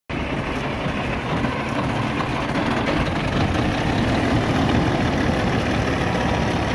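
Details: 2005 Peterbilt diesel, cold start: long steady churning crank about four beats a second with no firing yet; hard cold start, cause unconfirmed.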